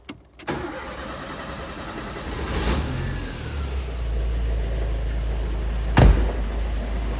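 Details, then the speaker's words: Fiat Punto GT after rebuild; catches quickly and settles into a steady, even idle with no misfire or hunting, after earlier lumpiness was cured by refitting the airflow meter the right way round; fuel rail repair leaking again. "we go, all up and running, sounding pretty good. It was a little bit lumpy, but then I realised I'd put the airflow meter in the wrong way around. So that seems to have sorted that out now."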